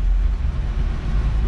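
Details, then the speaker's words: 1987 Chevette converted to manual, fourth gear: smooth even low drivetrain rumble with no clunks, whine or grind; gearbox and clutch running normally in gear. "fourth gear oh it's smooth too"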